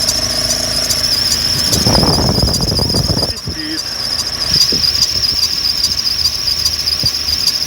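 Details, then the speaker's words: Car engine running with a constant high-pitched shriek that holds steady. Silicone lubricant applied to the accessory belt shows the belt, not the bearings, is the source; serpentine belt squeal. "И свистит. Значит, это не подшипники, а ремень свистит."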